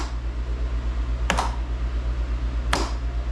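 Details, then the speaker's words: Craftsman GTS5000 lawn tractor with Kohler engine at idle, after replacing a bad PTO switch: two crisp clicks about 1.4 seconds apart as the electric PTO clutch engages normally. "that's what you'll hear a good old audible click what that means is that's engaging the PTO"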